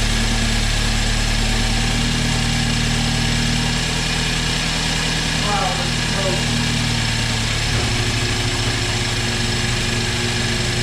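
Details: First run of a freshly rebuilt, previously seized BMW 328i engine, car not fully assembled and drive shafts disconnected: even, steady idle with a smooth low drone, no knocks or ticks, settling slightly lower partway through; runs clean.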